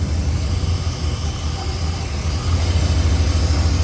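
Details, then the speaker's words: Chevrolet Silverado 5.7 TBI V8 after throttle body rebuild and finding an unplugged vacuum fitting sucking air: deep, even idle with no stumble, miss or hiss, smoother than ever now the vacuum leak is sealed. "Okay, it's nice and smooth, better than it's ever been."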